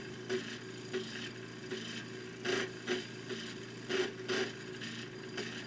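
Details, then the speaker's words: Home-built electronic pulse motor (slotted disc, optical pickup, PIC 12F675 timing the electromagnet via three pots) hitting its speed governor: uneven bursts of rasping clicks as the magnet cuts out and kicks back in to hold speed at the limit. "so now we'll have a look at the hitting the speed Governor what you'll see straight away is that the uh magnet has turned off and it'll then only turn on to maintain the"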